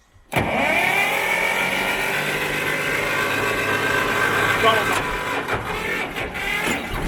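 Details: Belarus 250AS tractor, two-cylinder air-cooled high-compression diesel, 12 volt, after fitting 3/0 battery cables to cure slow hard cranking: brief crank, catches almost instantly, steady even idle, no misses or knocks; normal start and idle.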